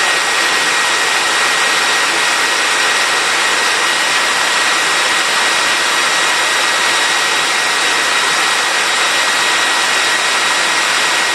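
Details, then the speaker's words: Compact TriStar C8 two-speed, rebuilt Ametek motor with replaced bearing and fresh grease, on high speed: smooth even rush and steady whine, no rattle, grinding, smoke or excessive sparking; healthy run, commutator still to be polished. "all right nice and smooth not noticing any week anything weird no smoking obviously no excessive sparking at all"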